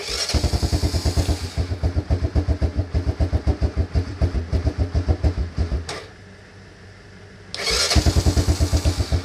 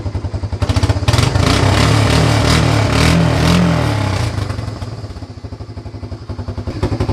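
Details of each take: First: Honda Fourtrax 300 ATV after carburetor cleaning: fires and chugs unevenly for about six seconds, dies, then fires again, won't hold an idle; cause was a missing retaining clip on the choke cable. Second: Honda Fourtrax 300 ATV after fixing the missing cable grip: firm, even thumping picks up cleanly through a couple of revs and settles to a steady idle. Normal running.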